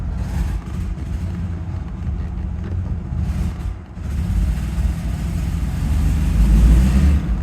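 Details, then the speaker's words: Rolls-Royce Silver Shadow V8 warming up after an ignition tune-up (new rotor, cap, points, capacitor, coil, lead): low uneven rumble sags and stumbles, nearly stalling, choking up as before; picks up with more throttle; fuel filters next. "yeah no no need to even try that because I can already feel it's choking up just like it did before yeah oh it almost"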